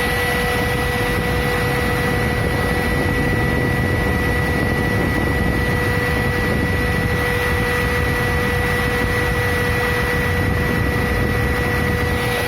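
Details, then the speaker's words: Ford Ka (2007) radiator cooling fan that had been catching on its shroud, after the plate was bent so the fan spins freely, engine idling. Steady fan whir with no scraping or ticking. Normal cooling fan running. "vou ligar o carro esperar a ventoinha ligar e aqui que vai dar a ventoinha ligou agora tem barulho nenhum"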